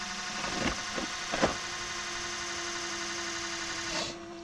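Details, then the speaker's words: 2006 Ford Super Duty 6.0 Powerstroke diesel, key-on priming after fuel pump/HFCM replacement: steady electric pump hum with airy hiss and bubbling pops as air purges, then quiets, normal priming. "normally after you do fuel filters it takes three or four cycles like that where you just let it run i'm gonna do about 10 just to be safe and then we'll go ahead and see how she run you can hear the pump starting to prime"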